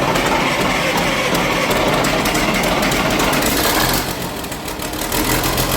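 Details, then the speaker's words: Engine of the Sgt Major vehicle started for the first time in at least six years, still cold: steady, even diesel clatter at idle with no misses or knocks; runs healthy. "So, sounded good, which I knew it would. Uh, it sounds even better once it gets warmed up."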